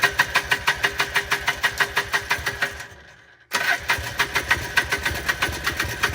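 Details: 1995 Polaris Trail Boss 250 after replacing a spark plug missing for six years: small two-stroke popping evenly about three beats per second, briefly dropping out then recovering; now running.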